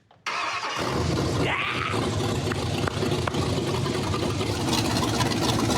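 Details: Ford F100 truck being built, first fire-up: catches almost instantly and settles into a strong, steady rumble with no misses, knocks or rattles; clean, healthy normal engine start.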